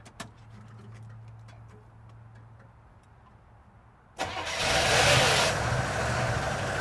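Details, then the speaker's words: Chevrolet Chevelle V8 barn find abandoned 24 years, first start after oiling cylinders, on carburetor fuel: after several quiet seconds the engine catches at about four seconds and settles into a loud, steady idle, smoking. "oh man she's a runer yeah yeah nice smoke cloud going there too"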